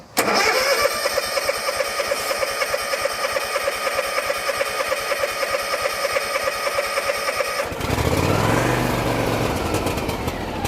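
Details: John Deere X324 four-wheel-steer mower that had sat as a no-start, with fuel supply reconnected, full throttle and choke on: steady cranking at about three beats per second for roughly seven seconds, then it catches and settles into an even run.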